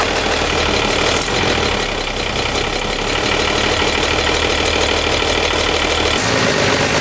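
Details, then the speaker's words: Overhauled 230HP Mercedes diesel boat engine on first test run after restoration, recorded in the engine room, revving up but not yet full throttle: loud, steady, even clatter, no knocks or misses; sounds healthy. "मैं ऐसा कर रहा हूं इसके काम करने और engine room के अंदर इंजन की फुल थ्रॉटल सुनने से बहुत खुश हूं, यह अभी फुल थ्रॉटल भी नहीं है और यह पहले से ही सुपर रोमांचक है"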